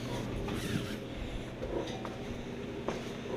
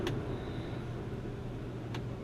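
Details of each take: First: 1966 Ford Galaxie 500 convertible during restoration, wiper motor test: steady motor hum with a squeaky creak every couple of seconds as the wipers sweep; owner suspects the arm pivots are rubbing and may lubricate them. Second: 1966 Ford Galaxie 500 convertible under restoration, heater blower tested: quiet, even low hum at a steady pitch with no squeal or ticking; the fan works on all three speeds.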